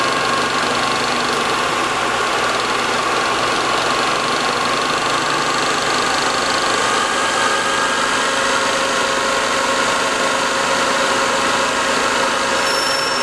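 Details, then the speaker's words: DIY one-quadrant IGBT PWM motor controller driving a go-kart DC motor, switching at 5 kHz: steady high-pitched constant-pitch whine over a hiss from both controller and motor; PWM switching whine. "so I don't know if you can hear that but there is an awful line coming from both the controller and from the motor that's because I'm switching at 5 kilohertz which is a very good frequency for humans to hear"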